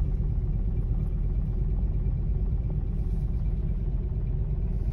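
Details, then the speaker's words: Nissan Xterra, petrol engine at idle: lumpy, uneven idle that shakes and stumbles; scan shows knock sensor, random multiple misfire and engine over-temperature codes; engine misfire. "knock sensor random multiple misfire which is bad"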